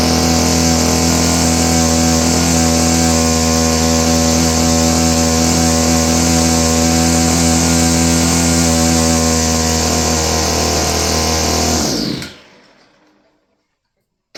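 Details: Roughly 30-year-old Stihl FS56 curved-shaft trimmer stays at a steady high buzz instead of dropping to idle, then abruptly dies. It won't hold idle.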